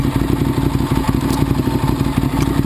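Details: 2009 Ducati 848 after repairing a disconnected fuel pump hose, idling warm. Steady, lumpy twin-cylinder idle with a light even rattle and no stumbles or surging. No leaks; normal warm idle.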